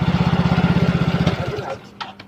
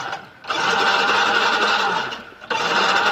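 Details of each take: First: Yamaha Mio Soul GT fuel-injected scooter, previously dead, idling after over-tight valve clearance was readjusted; even putter around fifteen beats a second, no skips until switched off; normal idle. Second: Yamaha Mio Soul GT fuel-injected scooter that won't start, cranked with injector still connected to check spray; starter whirs in steady bursts of a couple of seconds, engine spins but never catches; crank no-start.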